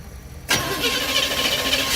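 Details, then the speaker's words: 1971 GMC 3/4-ton camper special V8, first start in 18+ years after rewiring, fed fuel by hand: catches abruptly and runs lumpy, shaking, not firing on all eight cylinders; rough running on first start. "It's not running on all 8, that's for sure. It is shaking."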